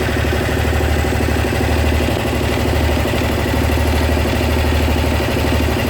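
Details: Honda SH 300i scooter at a steady low idle with a light, uneven tick about three times a second. Mechanics in Germany say it's nothing, but the owner is sure something is wrong. Cause unknown.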